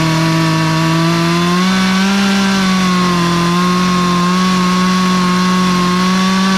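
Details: Poulan 2450 chainsaw with 18-inch bar, reassembled after chain, bar and handle work; high steady two-stroke howl with slight pitch sag as it bites into wood, then recovers; saw pulls cleanly under load.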